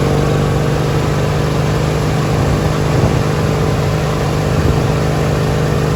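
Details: Li'l Red with Peerless 820 transaxle, during a top-speed run after new spark plugs: a steady, even drone at constant high speed with no misses or stumbles. It runs great now, with no gasoline smell from the exhaust.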